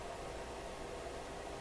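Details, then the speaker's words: DeForest Crosley shortwave radio after repairs, hum check: filter capacitors suspected worn (rated 16, testing about 12), but only a faint steady hiss with no buzz or hum underneath; no hum heard. "so I don't know if there's any home solution if there's even any home at this point I really don't hear a hum"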